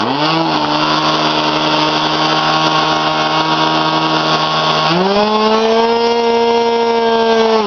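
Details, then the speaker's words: K&B 20 RC glow engine, flip-started at about quarter throttle: an even high buzzing drone stepping up smoothly in pitch; no fuel leaking around the head, only some from the carburetor, as expected; normal running. "As we can see, no fuel coming around the head. There's some strain out of the carburetor, which is to be expected."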